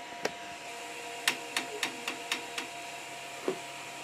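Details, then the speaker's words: Creality CR-10 3D printer extruder jamming after a 20 mm manual extrude command: sharp irregular clicks, about eight in four seconds, over steady motor hum as filament fails to feed; owner suspects repeated extrude commands push faster than it can come out. "Let me start a jam again. How can that be? I don't get it. You hear it,"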